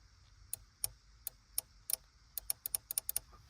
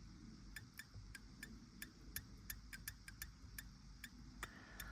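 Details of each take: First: Relay on a vehicle module board bench-tested by applying 12 V to its switching coil: crisp, sharp clicks as the coil energises and releases, each one clean and positive, showing a good relay. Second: Vauxhall Vivaro 2020 BSI board relay bench-tested with 12 volts applied to its switching coil: sharp, ringing clicks about three a second with a faint squeal, suggesting high internal resistance and no output; relay is bad and needs replacing.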